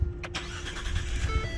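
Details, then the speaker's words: Engine start after a day sitting, following battery replacement done while retaining memory: short crank, catches at once and settles into an even idle; normal start. "Yeah, that's how it's supposed to sound."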